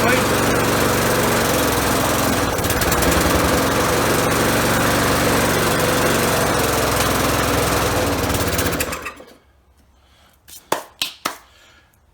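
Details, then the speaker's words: Lawnmower after a motor swap and new carburetor, no air filter fitted, hand used as choke, started with a drill: the small single-cylinder runs at an even, steady beat while smoking a little, then shuts off; it sounds healthy. "all right well we got some we're smoking a little bit but she starts"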